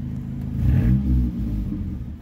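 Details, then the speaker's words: 2001 Mitsubishi Mirage 4G15 petrol, sat unused for years: revved to around 4000 rpm it struggles and sags, rpm bouncing down with pops; owner suspects running rich; fuel pump, regulator, plugs, wires, crank sensor, distributor replaced and EGR cleaned without fixing it. "so when you're at like 4000 rpms and you give it gas it'll like struggle i'll show you guys what i'm talking about uh yeah um it doesn't run right i'll show you guys when you rev it"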